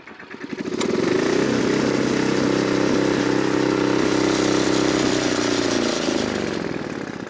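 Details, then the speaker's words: Neglected older Craftsman snowblower engine that sat in a shed for years and was leaking fuel. Pull-cord start catches quickly, then a steady, even buzzing run with no misses. An earlier failed start was likely flooding from tipping it back; it starts fine. "all right there you go yeah so she was just floting when I leaned it back and don't let your augre freeze up"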